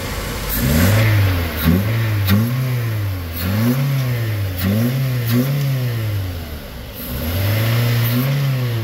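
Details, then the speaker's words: Toyota Avanza engine after the noise was fixed: smooth idle climbing cleanly through repeated revs and settling back evenly, with no knock or clatter; the earlier noise is gone; normal idle and revving. "Pero mga guys, pandarin natin to, wala na yung ingay."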